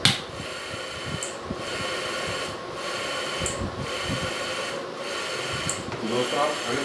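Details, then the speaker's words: Homemade automatic bilona (butter churn) on 12V relay and NE555 timer circuit: even whirring churn with short pause about every second as motor reverses; forward and reverse both work, circuit built correctly. "अगर देख पा रहे हैं forward और reverse दोनों काम सही से करता है, मतलब हमारा सर्किट सही बना है।"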